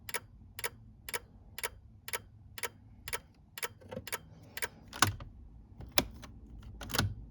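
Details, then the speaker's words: Sharan with turn signals and hazards not working; relay ticks about once a second, then loses its beat and stutters while a tester on constant positive checks the relay's ground, which flickers; suspected poor ground. "Бізде қанша 11-де 6 ойнап тұр бір түрлі. Минусымыз ойнап тұр."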